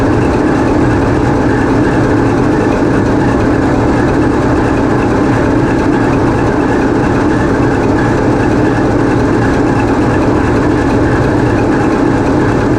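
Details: TEP70 0237 passenger diesel locomotive on run-in trials after repair, GoPro in the diesel engine room: loud, deep, steady drone with an even beat and no knocks or misses; diesel running smoothly.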